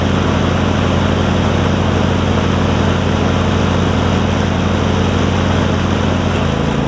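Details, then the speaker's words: John Deere LX277 riding mower that runs and drives great, after swapping a 38-inch deck from a parts LX178 onto it in place of its rotted 48-inch deck: steady, even engine drone, no knocks, misses or grinding. Normal running. "so i'll crank it up i'll show you that everything runs and does what it needs to do and we'll wrap this video up"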